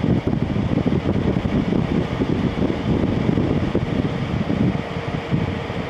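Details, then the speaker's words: LG ThinQ 10000 BTU air conditioner after a capacitor replacement: a steady airy fan whoosh with slight shifts between low, medium and high and no rubbing or rattle; the fan runs normally. "so yeah it seems to run pretty good"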